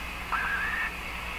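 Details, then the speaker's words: Electrohome PK 104 five-tube radio after replacing four paper capacitors and aligning IF, oscillator and antenna: wavering high whistle comes and goes over hiss on the tuned band; suspected interference from a computer in sleep mode elsewhere in the house. "i think this is the sound of the computer at the other end of my house it went into standby mode on its own the sleep mode and i think this interference is coming from that computer all the way down there"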